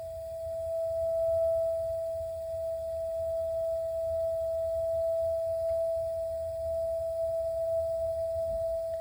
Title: A.O Smith water heater noise problem